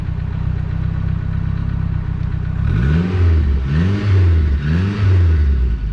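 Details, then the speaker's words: 1982 Renault 5 Alpine Turbo, blue oil smoke from the exhaust: rough idle, then a clattering knock on each rev blip; owner suspects a bent valve hitting its seat or worn rings; unconfirmed. "gros nuages bleus qui sort de la voiture et écouter claquement voilà donc on a très clairement problème"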